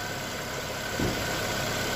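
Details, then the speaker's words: Lada Vesta: smooth, steady low hum with even beat, no knocking or ticking; paper on the engine barely moves, healthy idle. "вообще никакого шума нету двигатель работает ровно вообще ровненько"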